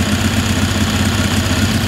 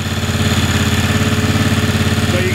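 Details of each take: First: Ingersoll 448 riding tractor with Briggs & Stratton 18hp Vanguard V-twin idling with a heavy lumpy throb, bogging and running rough once the more restrictive OEM Briggs air filter is fitted; runs smooth with no filter or a STENS filter. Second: Briggs & Stratton 18hp Vanguard V-twin on an Ingersoll 448 riding tractor, running with the STENS air filter before the more restrictive OEM filter is placed on: even, steady idle with regular firing pulses, no misses; normal idle.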